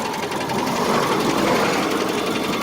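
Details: Subaru Legacy BG5 engine: quick, sharp, even tapping knock over the running engine, started while driving and sometimes goes away; owner says it is not a bearing shell or hydraulic lifter, source unknown.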